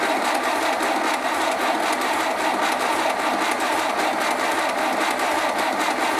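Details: 1931 British Dodge Brothers UF-10 van's newly restored engine, first start attempt, oil system primed, timing set by eye, fuel pump still filling carb; steady rapid chuffing over starter whirr, turning over but not catching yet.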